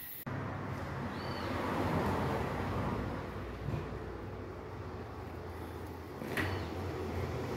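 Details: 2014 Peugeot 308 1.6 manual, 79,000 km, road test after front shock absorber and strut mount replacement for loud front suspension noise: steady road and tyre rumble over bumps with no clunks or knocks; front end now quiet.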